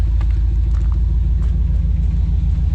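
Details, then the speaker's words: 1982 Chevrolet S10 V8 with rebuilt dual exhaust (welded cats, mufflers, cutouts), heard from outside: deep, even low burble, no rasp or ticking; exhaust sealed and healthy. Normal V8 exhaust note. "Just thought I'd bring you back one more time and let you hear it again outside."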